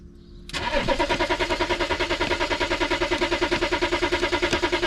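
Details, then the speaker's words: BMW X5 diesel on a cold 4°C morning, started the night before and with the battery warning light staying on. Long, fast, even cranking at about three beats a second never catches. Owner blames the glow plugs, saying roughly only 4 of 6 work. "C'est que les bougies de préchauffent. On joue sur 4 au lit de 6. C'est ça le problème."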